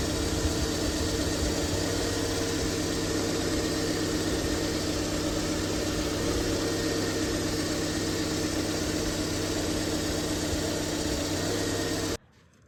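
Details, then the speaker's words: 2001 Honda Civic after power steering pump replacement, front raised, bleeding air by turning wheel lock to lock: engine idles evenly with smooth steady hum, no whine or groan from pump; normal power steering operation. "Um, and I'm going to turn the steering wheel lock to lock to remove any air bubbles in the system."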